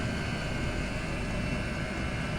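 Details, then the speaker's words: Chinese diesel air heater with exhaust feeding a radiator, turned down from setting 6 to setting 2: soft steady low rumble with even fan hum, no knocking or flutter; running normally. "Yeah, that noise has changed. It's just on setting 2 now. We had that on 6 a minute ago, which was fun."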